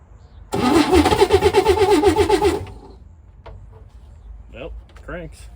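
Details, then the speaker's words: 1962 Chevy Corvair that sat for 40 years, with a newly replaced starter, being fired on carb cleaner without fuel: slow, lumpy cranking with a regular chirping pulse, not catching. There is an odd noise in the crankcase area; owner is unsure whether it is the starter or the flywheel. "Uh, there's a odd sound in the crank case area."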